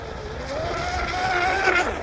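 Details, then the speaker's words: Upgraded vintage 25-plus-year-old MRP Bud Light tunnel-hull RC boat with brushless conversion on 3S, after swapping the stock plastic prop for a smaller TFL 438: smooth, steady motor whine rising as speed builds, bow up, no rattles; sounds better, much faster. "Okay, so that gets the bow up. Sounds better. Sounds better with that prop."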